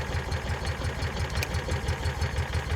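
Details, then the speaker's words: 2004 Kawasaki Mule 3010 petrol engine after fuel pump and carburetor replacement and fuel line refit, test start: even, quick low thumping idle about six beats a second, steady and unbroken; running cleanly, normal idle. "You want to turn the key on real quick? We will test this out. It's running. Give a guess. Guess what? It's automatically doing what it's supposed to do."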